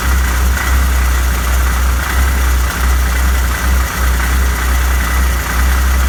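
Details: Arctic Cat 7000 snowmobile, Yamaha 1049cc triple, about 12,000 miles, stalls seconds after starting (valve adjustment suspected), clutch side cover off: deep, lumpy low idle with a loose rattle, which is clutch rattle at low rpm, not a misfire.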